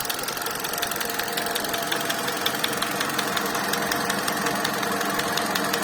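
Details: 2019 Hyundai Solaris (Accent) petrol engine at idle: sharp light ticking taps, roughly 165 a minute, over an even idle; engine knock, cause unknown.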